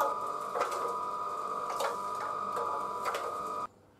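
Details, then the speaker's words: BSA petrol tank turning on a mixer during a refurb: a dull clunk about once a second over the motor hum. A loose lump of fibreglass resin, too big to pass through the filler hole, is rolling inside. "the clunking noise you can hear is a big cup of fiberglass resin that's still inside the tank that's come loose it's too big to come out through the fuel filler hole"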